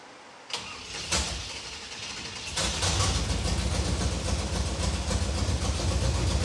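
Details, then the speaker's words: Car after fixing leaking loose fuel line at fuel filter that let mechanical fuel pump suck air instead of gas: couple of cranks, then catches and settles into steady even idle without misses, then shut off; normal start and idle. "is alive Victory [Music] dude solid and it shuts off"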